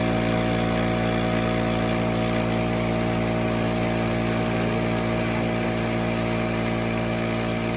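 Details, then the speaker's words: Small portable air compressor (about 2–3.5 CFM class, runs one gun) switched on: steady, even motor hum with constant pump drone, no knocks or rattles; running normally, though its gauge was not reading correctly. "Okay, so we're going to turn it on and you're going to hear it make sound, and then it's going to warm up, and then it's going to kick on."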